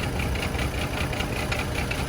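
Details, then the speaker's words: Chevy Trailblazer idling with an uneven, skipping beat and a ticking knock. Misfire on cylinders 3 and 5; the cause (spark plugs, coil pack or ignition coil) is suspected, not confirmed. "You got a Misfire in 3 and 5. So I don't know if they is due to the spark plugs Or the pack. or it's still a bad ignition coil."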